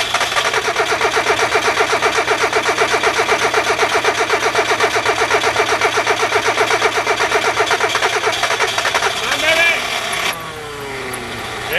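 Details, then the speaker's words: Hyundai with fuel sprayed in while cranking: steady cranking at about four beats a second for nine seconds, then it fires and catches. Hard cold start needing extra fuel; cause suspected, not confirmed. "the engine is cold [Laughter] needs to be sprayed while I crank it that's what it wants sprayed while I crank it"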